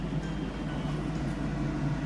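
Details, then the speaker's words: Kitchen hood fan running after deep cleaning and refitting, checked for fitting noise: steady even low hum with no extra noise, rattles or whistles; hood operating normally. "এইযে দেখুন হুডটা কিন্তু চলছে। আপনারা ফ্যানের শব্দ শুনতে পাচ্ছেন। এবং এক্সট্রা কোন নয়েজ নেই।"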